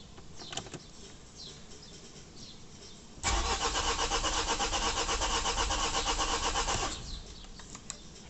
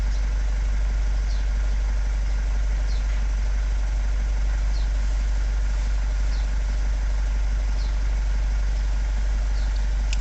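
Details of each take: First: Vauxhall Vivaro van (same as Renault Trafic/Nissan Primastar) after clutch replacement: starter cranks the engine over at a steady, even rhythm for about four seconds but it never fires. Oil pressure fault on display, engine ECU not communicating; fuel pressure and oil level correct. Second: Vauxhall Vivaro diesel van (Renault Trafic/Nissan Primastar twin) at idle after fixing engine ECU power supply that caused crank-no-start, oil pressure fault and no ECU communication following clutch replacement; steady, even diesel clatter, no misses or knocks, healthy.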